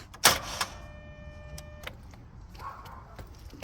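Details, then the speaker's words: 2010 Dodge Grand Caravan with an intermittent no-start despite several starter replacements: one sharp clunk as the key turns, then a chime and silence with no cranking; the cause is unknown and the owner doubts the starter or battery. "okay so as you can see i have the 2010 dodge grand caravan and every once in a while it'll not start and it doesn't wind so the battery's fine it just makes a clunking sound and then it'll make the clunking sound half a dozen times and then it'll suddenly start again"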